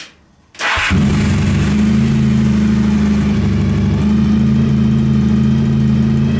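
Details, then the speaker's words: Honda VF1000 V4-powered buggy after work on the engine, idle turned down: catches quickly and settles into a strong, steady, even hum; an unexplained ticking noise noted; seems stronger, owner thinks all 4 cylinders fire but isn't sure. "It's running better. It seems to be stronger. It sounds like it's running on all 4 cylinders, but I'm not entirely sure."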